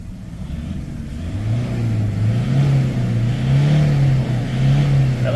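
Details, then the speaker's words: Toyota Vigo 2KD diesel, 300,000 km, after injector work and relearn, checked for knock and black smoke: revs climb and fall cleanly with no knocking and no black smoke; injectors sound healthy. "แล้วก็เสียงเขกของเครื่องยนต์มีมนะเพราะว่าเราทำหัวฉีดนะครับทีมงานบอกว่าเสร็จเรียบร้อยนะฮะเราก็ลองดูซิมันเขก"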